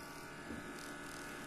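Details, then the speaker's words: HP laptop right after power-on: a thin, steady electrical buzz in a quiet room; source not confirmed, technician suspects the cooling fan. "देखिए जैसे ही हम इसको on करते हैं तो on करने के बाद इसमें एक अजीब तरह की आवाज आती है"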